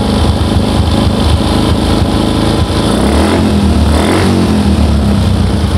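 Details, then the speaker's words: Old Yamaha Jupiter MX with stumbling and hard starting, after blocking the manifold vacuum port whose hose had been leaking fuel: engine picks up cleanly and revs freely, smooth and light without stumbling. "namun ya kedengaran motornya lebih enak lebih enteng"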